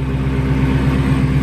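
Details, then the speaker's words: 2016 Hellcat salvage rebuild with Metco supercharger pulley, idling on jumper cables, coolant a little low: steady even V8 idle, smooth low rumble, no knocks or misses; everything sounds good. "it's always satisfying when you take someone apart put it back together and it runs perfect everything sounds good"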